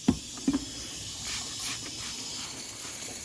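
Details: Truck with replacement 48RE transmission, stock turbocharger, 50-over injectors, no tune: handling knocks then a steady airy hiss that changes as the intercooler boot is moved; boost leak at intercooler boot, boot needs replacing.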